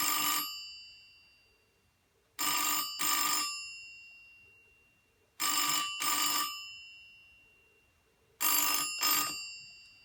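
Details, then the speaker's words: 1984 BT Special Range candlestick telephone (white, TSR8005B) fitted with a cheap substitute ringer; double bursts of bright metallic ringing every three seconds in British cadence, the bell rings properly. "So there you go. It's not the best ringer, it's the only one I had to hand, but I'll probably find a better one at some point, but at least it rings."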